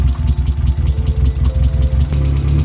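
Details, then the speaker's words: Mazda Miata after head gasket replacement, check engine light on: low lumpy idle rising and sagging irregularly; cause was an unplugged hole in the intake, and once plugged the light cleared and it ran fine. "what turned out to be the issue was i forgot to pluck a hole in the intake which caused the engine to idle poorly after i plugged it in the check engine light went away and the car ran fine"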